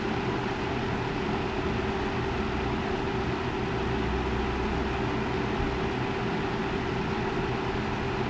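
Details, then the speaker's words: Lasko 3733 box fan rescued from the trash, motor cleaned with Q-tips, running on high then medium of three speeds: even steady whoosh of air with constant motor hum, no rattle or ticking; normal running. "Let's turn it on now. Three speeds and works about how you'd think it would."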